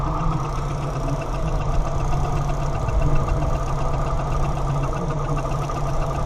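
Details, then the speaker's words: 1987 Suzuki Samurai that sputters, stalls and floods: rough, low uneven chuffing idle; funny noise from the front of the engine, owner suspects a worn belt or pulley needing eventual replacement. "now that funny front noise that you hear that is a belt end or pulley that is you know suffering"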